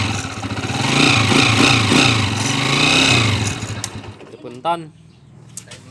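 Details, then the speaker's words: Honda TMX155 motorcycle with a 175cc conversion running with a loud, busy mechanical clatter and whir over the exhaust from a very noisy timing gear; the countershaft axle was also damaged and replaced in the overhaul. "Okay so ito narinig niyo yung andar niya kanina napakaingay yung timing gear"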